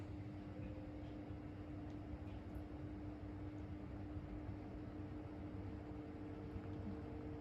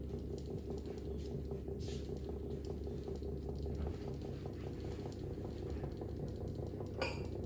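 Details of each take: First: 2000s Vortice 12-inch box fan, second of two, on medium; soft, even airflow hiss with a thin steady motor whine at one pitch, quiet running though it doesn't move much air. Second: Desk fan: fast light tinny rattle over the motor's steady hum, constant with speed; loose center cap chattering against the hub.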